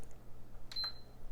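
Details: PS5 that beeped with no lights, after repair and partial reassembly: one short, clean high beep over a low room hum as it switches on, then blue light and fan; normal power-on.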